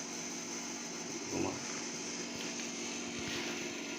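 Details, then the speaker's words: Fridge compressor just started during a full refrigerator wiring test, heard from the freezer with the meter reading 0.45; a steady low hum with no knocking or rattling, compressor running normally. "ये compressor start हो गया है। या आप आवाज़ भी सुन सकते हैं, ये देखिए फ्रीजर में आवाज़ आ रही है, और ये जो मीटर है ये 0.4.5 बता रहा है, यानी कि कंप्रेसर हमारा स्टार्ट है।"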